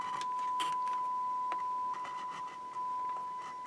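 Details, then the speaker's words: Sansui R-606 stereo receiver, speaker current routed through two switches on the power switch: steady test tone breaks into scratchy crackles and brief dropouts as switch is worked, distortion in right and left channels from bad speaker switch contacts. "You can hear they're running the speaker current through these two switches. And you can see as I manipulate the switch, it causes distortion in the right channel."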